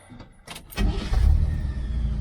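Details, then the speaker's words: 1978 Chevy Nova budget restoration after brake, shock, wheel-bearing work and an oil change and lube. Brief cranking, then the engine catches at once into a deep, even rumble: a healthy start. "starts right up, sounds good. Sounds pretty good."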